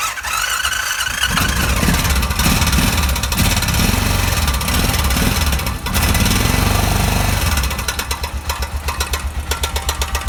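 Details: 2006 Honda Rincon ATV single-cylinder engine idling with a steady, rapid tick that could be mistaken for piston slap; actually the cam chain tensioner at its maximum position.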